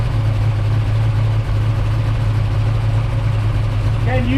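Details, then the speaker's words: 1967 Chevy Nova II V8 that had not run in a while, idling: deep steady idle with a faint loose rubbing tick each revolution; dipstick contacting crankshaft, noise stops when the dipstick is pulled up. "reach and pull up on that dipstick? Yep. Yep. Yep. Now, it went away as soon as you pulled up."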